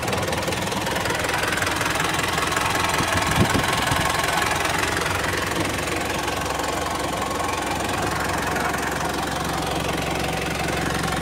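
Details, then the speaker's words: Isuzu Panther 4JA1 turbo diesel after relining with Toyota Hilux liners, checked for remaining leaks: even diesel clatter at a steady idle of about 3.5 beats per second, no misses or heavy knocks; healthy idle. "Ayo coba starter kita pengin tahu nih ada masih ada bocor enggak"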